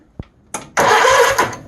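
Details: Troy Bilt GTX 20 mower whose engine cranks but has no valve train operation, after cleaning the starter and applying dry lubricant: short firm cranking burst, starter engages and spins the engine cleanly without grinding.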